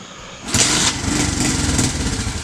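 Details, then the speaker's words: 2016 TAO pit bike found seized, kick-started on old fuel after carburetor tapping: small single fires after a pause and runs ragged, coughing near dying; sputtering start, owners suspect it ran out of gas from the small float bowl. "Oh, it's might be out of gas already. That's a pretty small bowl. It's getting easier and easier to kick."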